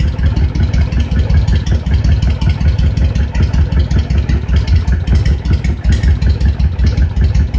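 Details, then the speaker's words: Honda VTX 1300 V-twin idling with the air/fuel mixture screw turned in to one turn: lumpy idle with uneven, skipping pulses; mixture too lean, causing idle stumble. "one turn then it's starting to skip now I don't know if you notice that"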